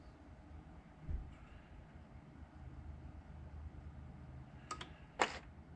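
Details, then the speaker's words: 2012 Ram 1500 Hemi with Procharger, after first start: the short runner valve (SRV) is toggled open with a scan tool. Two brief mechanical clicks as the louvers inside the intake move, which is normal actuation. "I'm going to toggle it get you closer so you can hear it but you can hear those louvers inside the intake moving"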